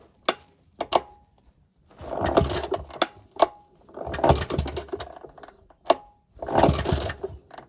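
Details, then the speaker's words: Ner-A-Car single-cylinder engine project, first start attempt on choke with fuel and throttle: sharp pops, then ragged sputtering bursts as it catches and fires unevenly; the start is successful. "have a bit more fuel a bit more throttle oh fired a bit more throttle a bit of a squirt well I think I think that's a success isn't it"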